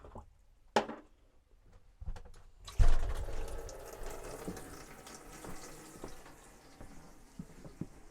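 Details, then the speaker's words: 1998 Hymer motorhome bathroom tap repaired with a 3D-printed part. The tap's microswitch clicks on, then water runs with a steady low pump hum underneath. The water pump switches on and runs normally. "Should hear the micro switch engage and turn the pump on. I can hear it."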